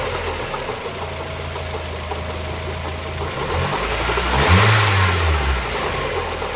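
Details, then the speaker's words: 1994 Mazda Miata 1.8 L petrol engine at idle with lifter tick and a deeper knock that grows louder as revs briefly rise; newly started, and pulling plug wires one at a time did not isolate it. "Okay, I'm not sure if this is actually going to come out, but there's lifter tick, and then there's some kind of knocking noise."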